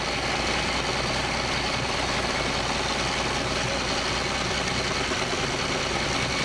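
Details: Boat from Copart whose original engine was locked up, now running on a newly installed remanufactured engine in neutral: continuous steady running with a lot of hiss and water-like noise, no knocks or misses; healthy idle.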